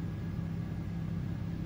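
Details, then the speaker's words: Honda EU2200i inverter generator, 106 engine hours, recreational gas, running a 15,000 BTU Coleman Mach 15 RV AC with no soft start on cool low: steady, deep drone holding firm, no hunting or surging. Readout about 1600, carrying the load comfortably. "showing it about 1600 all right let's let's let it run let's see if this air is cool pretty cool so kicked on on low cool just fine"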